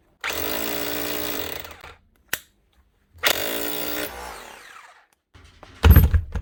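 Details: 20-year-old Bosch GBH 4 DFE SDS+ hammer drill, previously not hammering with heavy motor sparking, after armature work and regreasing: two bursts of rough, rapid pounding rattle rising quickly to speed and stopping cleanly; hammer action working properly.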